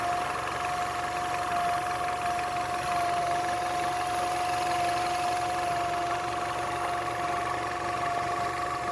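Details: Nissan Altima, fully warmed up: a thin, steady high whistle holds one pitch over a quiet idle, caused by a collapsed PCV hose sucking air.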